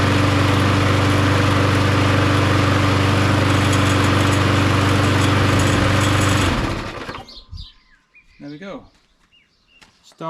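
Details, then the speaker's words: Mountfield lawnmower with Briggs & Stratton Quattro 10D902 HP470/SP470 petrol engine, after full service and fresh fuel, test run. Steady even single-cylinder drone at constant speed before shutdown; runs as expected, normal running. "and runs just as expected"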